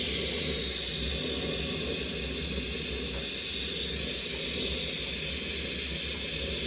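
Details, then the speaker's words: Maxitrak 1.5-inch Allchin live-steam model traction engine first steaming, run up to working pressure: steady loud steam hiss holding constant several seconds as the boiler safety valve lifts and blows off. "t's what I run it right the way up and show the safety is blowing off foreign"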